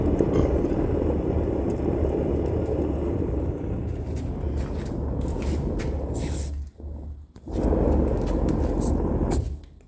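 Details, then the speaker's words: 1986 U-built utility trailer axle, passenger-side wheel spun by hand before greasing: dry, rough rumbling grind fading as the wheel slows; ungreased, questionable wheel bearing. "okay so that's what it sounds like with no grease and that questionable bearing"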